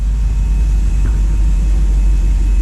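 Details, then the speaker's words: LS3 V8 in a 1955 Chevy Nomad, first start since 2017, still cold, after an earlier miss cleared: deep, steady rumble with no misses or stumbles, idling slightly high as expected from the cold setting. "reason idols just a little bit high let me cut this off again this cuts all automatically is because it's still cold right now so it's just like a cold choke valve or the choke setting"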